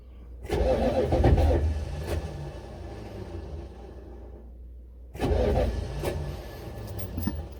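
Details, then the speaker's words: Buick Electra with 5.7 diesel, cold start attempt after lots of starting fluid: two bursts of steady, slowish cranking that never fire; owner suspects the starter won't crank it long or fast enough, battery then dead. "i just don't don't get why it won't fire well i know why it won't fire because that stupid starter won't crank it over fast enough or not necessarily fast enough long enough"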